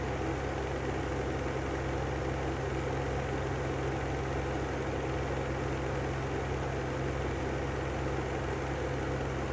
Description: Brand new Lanson exhaust fan with bad bearings